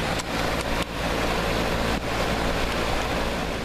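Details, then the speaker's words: Goodman heat pump outdoor unit at first start-up after a new 1/2 HP 230 V blower motor and capacitor were installed in the electric furnace: light clicks, then a steady, airy whoosh with no grinding or rattle; normal running. "So, let's turn this bad boy on. See if she starts up. You can hear her for the first time."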